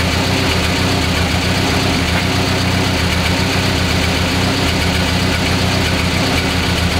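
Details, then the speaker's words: Renault 11 exhaust at idle, owner finding it noisy; loud raspy hollow drone with uneven pulse like a straight pipe. Owner suspects silencer baffles gone inside; leaks at pipe joints, no holes in silencer. "moi c'est il y a plus de cloison à l'intérieur parce que j'ai pas de flûte"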